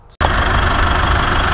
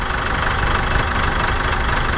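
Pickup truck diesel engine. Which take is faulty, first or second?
second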